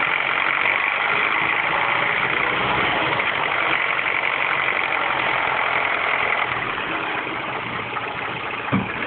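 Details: R56 Mini Cooper S cold morning start after timing chain tensioner change: busy metallic rattle and raspy upper-range clatter over the idle; abnormal cold-start engine noise, cause unknown.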